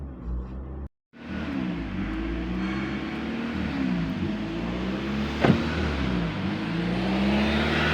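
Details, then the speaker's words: Nissan Grand Livina L10 petrol engine idling during scan-tool idle air volume relearn (about 5 minutes wait): settled idle with speed drifting gently up and down as the computer relearns. "So ayan, ang sinasabi dito is please wait for about 5 minutes."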